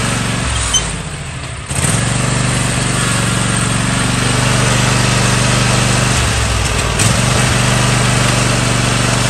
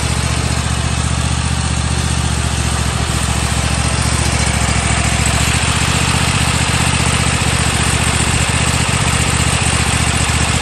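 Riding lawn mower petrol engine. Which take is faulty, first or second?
first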